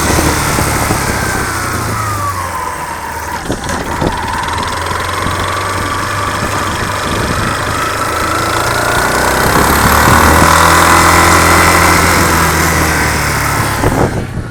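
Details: 2005/06 Yamaha Fazer 250 with over 115,000 km: loud, fairly regular knock about four per second rising with revs; worn connecting rod, confirmed and replaced.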